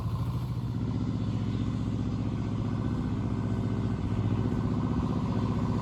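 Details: Power Pony with a two-cylinder Perkins diesel, after bleeding the fuel system following a stoppage (petcock suspected left off): steady, even low idle chug with no misses or knocks; normal running.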